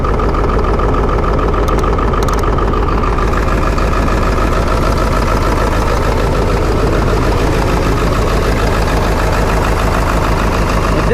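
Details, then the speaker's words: Ford 7.3 Powerstroke diesel, shaky idle, choppy exhaust; loud uneven pulse about 200 beats a minute, rough idle, truck will need injectors. "never goes away and the truck forms all the way up you don't want that truck it's going to need injectors"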